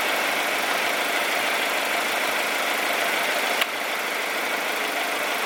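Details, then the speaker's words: Honda CR-V idling: soft, even hiss-like hum with no knocks, misses or surges; very quiet, smooth normal idle. "Look how quiet this thing is. This thing sounds like a baby."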